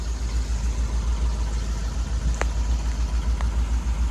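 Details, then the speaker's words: 1963 Ford Thunderbird 390 V8 at idle after new dual exhaust with H-pipe, replaced left manifold donut, mufflers and perforated tailpipes: deep steady low burble, whisper quiet, no exhaust leaks. "There it is, guys. Nice and whisper quiet. No more exhaust leaks. Doesn't sound like a bomb going down the road now."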